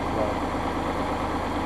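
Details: Massey Ferguson 5610 tractor idling after its 500-hour service fuel water-separator filter change; it started right up and never missed. Steady, even low diesel idle with no misses or hunting: healthy.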